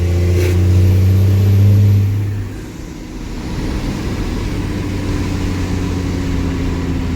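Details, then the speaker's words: Truck "Otis" cruising warm with a strong, steady drone, then revs drop smoothly near 2.5 seconds to a lower, even hum as the torque converter locks up; the engine sounds very healthy and lockup is good. "It's a very healthy running engine. Alright, here we go. Torque converter is locked."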